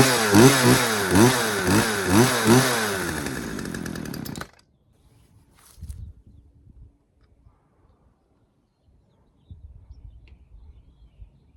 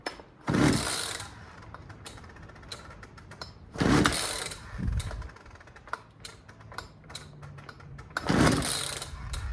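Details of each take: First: Poulan 2150LX chainsaw after repair (new recoil spring, carburetor rebuild, new fuel lines, fresh gas, freed sticking throttle linkage, low and high screws set at 1.25 turns): crisp two-stroke snarl rising and falling through quick blips, revving freely; normal running. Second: Poulan 2150LX two-stroke chainsaw that will not start: three slow pulls, each a scratchy rasp with a dragging, uneven return that doesn't retract fully; worn recoil starter spring.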